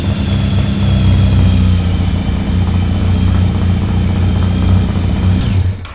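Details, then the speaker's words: Yamaha FZR 1000 (2LA) four-cylinder, just revived after 3 months: idles smoothly and picks up cleanly on short throttle blips, then settles; healthy running, no misfire. "Okay, that is really fucking good. It runs."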